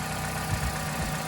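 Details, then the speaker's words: Vauxhall Corsa petrol engine on cold start: steady, even low idle with a soft regular pulse, light injector ticking and only a slight tap; previously very rattly on start, now sounds normal. "that literally just sounds like a normal engine i don't know a slight tap did not come not as bad as it would i can hear the injectors i'm super happy with that"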